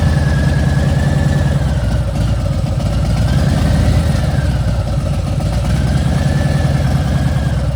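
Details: Milwaukee 8 V-twin, at about 3,700, after new pipes and a dyno tune: high, wavering whine over the deep idle rumble, now 2-3 times louder than when new. Excessive engine whine, source unknown.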